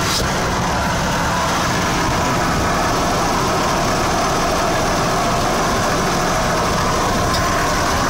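Steady, even idle with a dense raspy hum and no distinct knock or tick; an unusual idle noise whose cause can't be pinned down.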